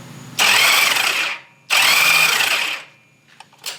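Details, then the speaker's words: 1997 Honda Valkyrie, after sitting 10 years, on temporary fuel with carbs unsynced. Cranking with plugs out: two short bursts of fast, light, even whirring with no drag or binding; it turns over freely with no fuel ejected. "Turns over. So, now I'm going to get some spark plugs in there."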